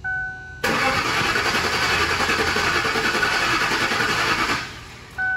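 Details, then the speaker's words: 2005 Lincoln LS 3.9L V8, customer reports blown fuses: started briefly, then steady fast cranking about four seconds with warning chime but no firing; cranks but won't start, suspected short circuit. "we turn on the vehicle and it turned on and then after that we try to crank it again and then you saw it on the little clip right there wouldn't turn on again"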